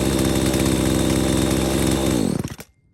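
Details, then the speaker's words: Husqvarna 240 chainsaw with a new aftermarket Hipa carburetor, high, low and throttle screws adjusted after bogging, restarted after sitting 15–20 minutes following a cut in wood: even, steady two-stroke fast idle with no stumbling, then a clean shutdown; running good. "Okay, there you have it. Basically running good."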